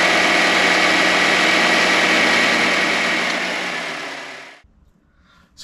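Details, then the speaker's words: 2022 Nissan Sentra SV just after a cold start with the climate control on heat or defrost: steady idle with a faint constant hum on top at compressor engagement. It goes away after a few minutes of driving, and the owner thinks it is normal. "so when I first start the car and put on the climate control for the Heat or the defroster I can hear I can hear the engagement but it does make a little bit of a humming noise"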